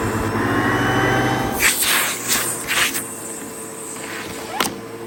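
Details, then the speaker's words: Sebo vacuum cleaner after a bag change, brush bar used but unblocked: strong, even motor roar with a steady high tone, no surging or rattle, then handling knocks; running normally. "So yeah, the Sebo works absolutely fine."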